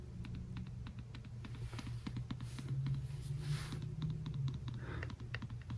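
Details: iPhone home button clicking after reinstalling three missing internal screws that caused a vibration noise; quick crisp clicks about four a second with no rattle or buzz, noise gone, normal click.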